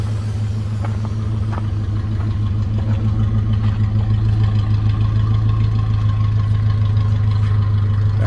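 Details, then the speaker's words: 1971 Dodge Coronet 383 four-barrel big-block V8 after fuel system rebuild: deep, steady idle burble with no knocks or misses, running well; the owner suspects a little stuck ring on number eight, which smokes slightly; coolant leaks at the top radiator hose. "maybe it's got a little stuck ringage or something sounds good though I'm definitely happy with that"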